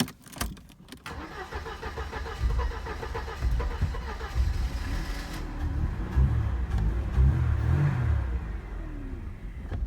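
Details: 1986 Mercedes W124 230E, automatic, cold start: short cranking bursts then rough uneven catch barely settling to low idle; starts only with starting spray in intake, and warm idle drops to 400-500 rpm in D or R; hard cold start.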